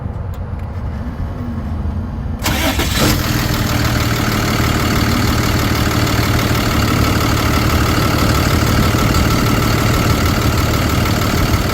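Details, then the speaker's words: 2013 Ford F-750 Altec bucket truck, 6.7L Cummins turbo diesel, automatic, 72,000 miles, fleet maintained, no check engine lights. The diesel cranks, catches within seconds and settles into a steady even idle with no misfiring or smoke. Healthy. "You see, no misfiring, no smoking."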